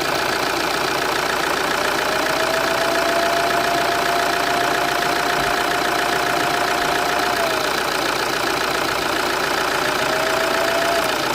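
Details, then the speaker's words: Vauxhall Zafira C 2.0 CDTI with limp mode, "Service Vehicle Soon", codes P003A, P0299 and P2263, and no boost on the road test. The engine is possibly cold. When revved, a whistling whoosh climbs with speed, a sign of a worn turbocharger. "Can you hear the turbo kind of spooling up a little bit? You can hear that hoosie noise, that woo, sort of a whistling noise. You can definitely hear it increasing."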